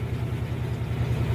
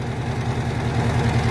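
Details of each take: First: Electrolux Jet Clean 16 kg washer in spin after fix: steady low even drone, no banging; the loud spin noise was a loose leveling foot, cured by turning and tightening it. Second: Electrolux Jet Clean 16 kg washing machine spin cycle: deep, fast drumming rumble as the cabinet shakes from a loose leveling foot; fixed by turning and tightening the foot.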